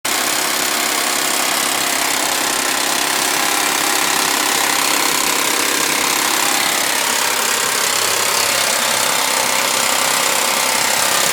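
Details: Suzuki Vitara V6 petrol at idle: harsh metallic rattle about three to four beats a second; owner attributes it to the timing chain.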